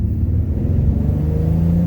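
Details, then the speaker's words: 2011-14 Mustang 3.7 V6 on test drive after BBK catted x-pipe leak repair at the header: smooth low exhaust rumble rising under acceleration, with no ticking or spitting; exhaust leak gone. "let's listen exhaust leak it's gone"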